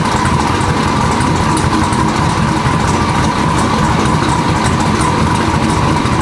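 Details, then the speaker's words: Turbo LS Foxbody idling just after a Motion Raceworks belt-drive fuel pump replaced the loud electric pump, alternator bracket still unfinished: a loud, even, steady idle with no pump whine on top; normal, healthy idle. "It is weird to hear it run without that fuel pump blaring, you know?"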